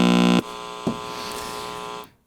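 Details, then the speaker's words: Modern switch-mode power supply: steady buzzy tone with overtones as the line-cord bridge rectifier powers the circuit, then a harsh hiss with ringing tone once it furnishes current to the load. "so the bridge rectifier that's on right on the line cord here is powering the circuit up and then once the supply is furnishing current to the load it gets really noisy there it is"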